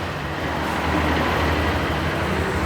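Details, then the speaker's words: Honda Click 125 liquid-cooled scooter, started after retracting the side stand (side stand engine cut-off): steady low putter with a soft even hum, no ticking or rattle; normal idle. "Pero once po na tinanggal natin yung kanyang side stand, hindi na siya naka-engage, i-start natin. Ayan, mag-i-start po"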